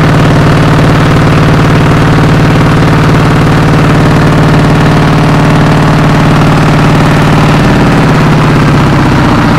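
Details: Kubota RD85DI2S single-cylinder tractor diesel, after repair of worn piston and bearings; complaints were radiator water loss, oil from exhaust and sputtering. After crank start it gives a steady thump of about two beats per second, even and unbroken, settling slightly; runs clean.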